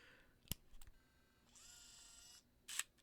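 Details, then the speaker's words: Leica D-Lux 1 (first version) digital camera at power-on: a sharp click, then a smooth one-second motor whir as the DC Vario-Elmarit zoom lens extends, ending in a click. Normal lens extension. "I want you guys to just take a look at the way that the lens, the Leica Elmarit Vario lens, comes out of its hiding."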